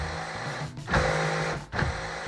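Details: Noisy driver door lock actuator on a 1998 Ford Expedition, before replacement: a low buzzing whir with two strained bursts as the lock cycles. Cause suspected, not confirmed.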